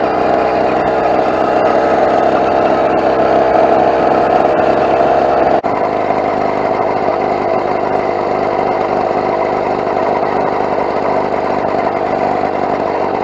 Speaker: Wow all right so quick stop by the side of the road I have completely destroyed that exhaust gasket